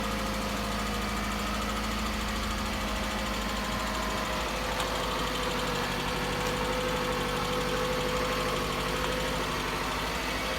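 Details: Toyota Camry, cold engine at idle: fast, uneven tapping about three per second over the engine hum; knock of unclear cause.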